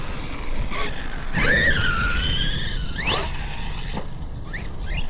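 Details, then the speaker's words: Redcat Valkyrie RC car after upgrade to Hobbywing 6S ESC and motor, shims removed: sharp rising and falling squeal over the motor while accelerating; owner suspects gear mesh set too tight. "Wow. I don't know, maybe I got the gear mesh too tight. I didn't think I did."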